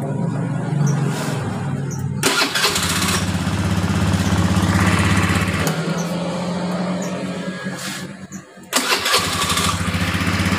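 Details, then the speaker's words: Honda Beat injection scooter, starter cranking after repair: starter spins the engine smoothly and it catches with no rough "ngek" grinding; the starter motor was dirty and dry, cleaned and greased, and is now back to normal. "suara ngek di dinamo starter sudah hilang jadi masalahnya hanya dinamonya kotor dan kering ya dibersihkan lalu dikasih pelumas menggunakan gemuk sudah normal kembali"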